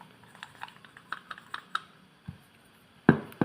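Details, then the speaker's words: Worn piston rocked by hand in its worn liner and block gives loose, uneven light clicks, then heavier knocks; clearance exceeds the 0.1 standard, causing power loss. "Tuh, pokoknya ini logor sekali, Guys."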